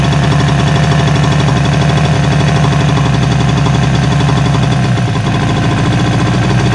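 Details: 1977 Suzuki GT185 two-stroke twin, abandoned and revived, on choke: loud, busy two-stroke crackle holding a steady fast beat with a deep drone; running evenly.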